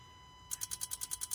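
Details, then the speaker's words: 2013 Nissan Qashqai 1.5 dCi with no power/no boost, diagnostic actuator test of the DPF injector/injector solenoid valve: crisp, evenly spaced ticking of about ten clicks a second; the injector is heard operating properly. "oh we can hear that so that's working nice"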